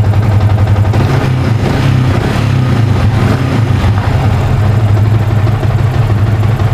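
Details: Yamaha Vixion (new) on a new battery, charging at 14 V after the faulty old battery was replaced: firm, steady low thrum at idle, no stumbling or dropouts; bike idling healthily.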